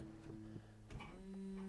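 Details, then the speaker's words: Jaguar S-Type V8 fuel pump, powered from the battery via the ignition: a clunk, then a steady low electric hum, confirming the pump works after earlier seeming dead. "you hear that we have a working fuel pump so I'm gonna put this all together and we'll see if we get Prime up at the fuel rail"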